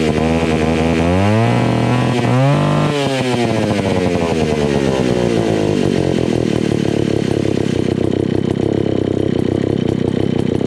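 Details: Old, beat-up Alpina Pro 120 chainsaw, 120cc, after a carb kit (HS-144B carburetor), still leaking at idle. It revs up and settles to a ragged, uneven idle with wandering pitch; low compression from a worn piston and cylinder is suspected.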